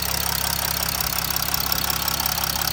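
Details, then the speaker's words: Chrysler 300C with Mercedes OM642 3.0 litre turbo diesel at 181,000 miles: fast, even idle clatter with sharp ticking over a low drone, likened to a boat engine. Normal diesel idle. "Tick, tick, tick, tick, tick, tick. Sounds like a boat engine, doesn't it?"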